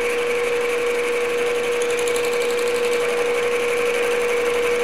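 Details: Grizzly G0776 lathe boring tailstock repair, feed 0.003 in per rev: steady cutting hum with light rhythmic tap each turn, cutter hitting only one side, so bore isn't round yet. Interrupted boring cut.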